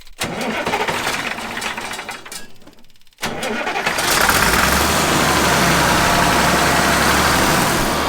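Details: 1965 Allis Chalmers TL645 wheel loader, turbocharged 6-cylinder AC 3500 diesel, restarted after 10+ years once the Stanadyne injection pump was cleaned: cranks, stalls briefly, then settles into a steady, even idle clatter.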